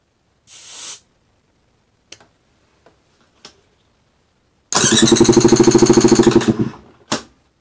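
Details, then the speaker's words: New 2021 Beta 200RR two-stroke with about two and a half hours, compression gauge fitted, cranking with throttle wide open: even cranking about three strokes a second for two seconds, equal strokes; reads about 168–170 psi, healthy baseline compression. "all right so we're at 170 and that's with uh two and a half hours on the bike"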